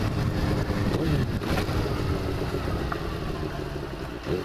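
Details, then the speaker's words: 2000 Kawasaki ZX6R 600 carburetor four-cylinder motorcycle at idle: steady, even burble, smooth exhaust, no knocks or rattles; runs well, though owner feels idle is down slightly and plans a compression check. Normal running. "nevertheless i'm pretty impressed this little 600 carburetor model runs pretty gosh darn good no complaints would not hesitate putting this in this engine in my bike"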